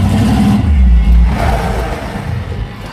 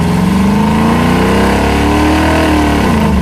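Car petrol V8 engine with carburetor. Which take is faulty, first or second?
first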